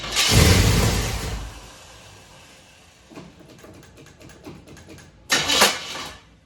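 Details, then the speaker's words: Chevy Nova engine rebuilt after two pistons were installed backwards, first start: harsh cranking burst ends abruptly, then a second jarring crank, starter kicking back; owner suspects timing set too high or loose starter. "all right so it cranked up um starter did make a little noise it kicked back on the starter I'm not sure why maybe the time is set too high"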